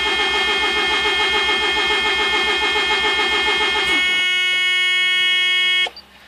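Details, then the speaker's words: 1987 Mazda RX-7 with rebuilt rotary engine and MegaSquirt 2 after engine replacement: fast even starter cranking that never catches, fuel smelled; cranks but won't start, timing being set, cause unknown. "um you can hear it once to start [Music] no i got nothing so what do you think"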